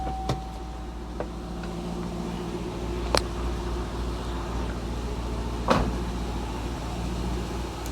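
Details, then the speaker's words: Cadillac CTS-V 400 hp LS6, Tremec 6-speed, with heavy vibration in the engine bay and transmission tunnel; mounts or harmonic balancer suspected: steady even idle hum with no knocks or misses, a few light clicks; balancer looks slightly wobbly. "Does sound good. What do you guys think?"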